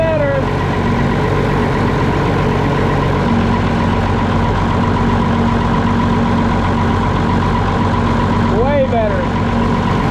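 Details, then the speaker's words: Cold diesel concrete pump engine, not run yet today, after replacing the old, possibly original lift pump suspected of sucking air into the fuel system and bleeding fuel lines: steady, even idle with no stumble or hunting; running normally. "all right well I think that might have done it I don't know if that lift pump was somehow sucking air in"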